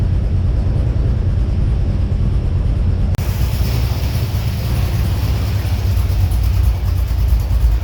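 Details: XG ute V8 on first start after fitting CNC-ported heads and a VCM 13 cam, on the assembly oil before an oil change; deep, steady rumble that settles evenly with no loud ticking or misfires; normal idle.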